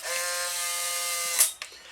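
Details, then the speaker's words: Restored Polaroid SX-70 after overhaul: brief smooth motor whir with gear chatter ending in a clean stop; cycles normally, sound varying subtly between cameras with driver chips, age and motor manufacture date. "it's just interesting little subtle variances in production of the driver chips and age of the camera the exact manufactur data of the motor can all result in sx70 sounding and feeling a little bit different"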